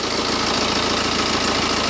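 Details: BMW with about 190,000 miles, idle after spraying WD-40 on the serpentine belt: steady even idle with no squeal or chirp; the squeak seems to come from the non-original belt, which may be worth replacing.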